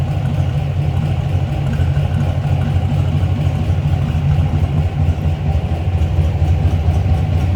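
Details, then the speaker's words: 1955 Ford F100 short-box pickup with side pipes under the running boards, idling in neutral after an easy start: deep, even exhaust rumble with a steady beat, no knocks or misses; normal idle. "Starts easily. Of course, a little rumble coming out of those side pipes."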